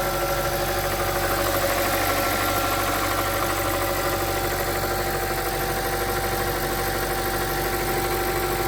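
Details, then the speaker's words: BMW 325i after oil filter housing and oil cooler gasket repairs and a new auxiliary belt kit: smooth, even idle, the earlier horrible noise gone, only faint normal injector tick. "as you can hear the horrible noise has disappeared there only minor on the injectors but everything else seems to be fine"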